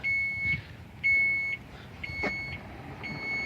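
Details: 2017 Chrysler Pacifica power rear hatch closing by key fob double press: high, clear warning beeps about once a second, each half a second long, over a quiet background.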